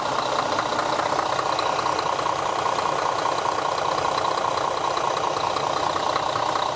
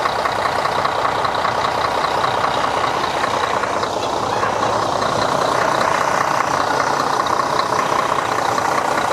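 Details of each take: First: Diesel bus idling after an oil change and reseating a crooked filter cover that had hissed: even clatter at about two and a half beats a second, no misses or knocks; engine sounds healthy. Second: Diesel bus at idle just after an oil change with the oil filter and seals refitted: steady rushing hiss over an even idle; the small filter cover was found sitting slightly crooked, with air suspected escaping around it.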